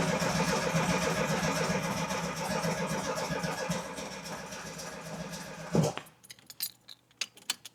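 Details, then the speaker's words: VW Baja Beetle that won't start, cranked in a closed shop with choke off and air cleaner fitted: starter churns steadily about four beats a second for six seconds, no firing; mechanic suspects spark, possibly fuel. "Well, not a puff or nothing. Damn. It's probably spark related."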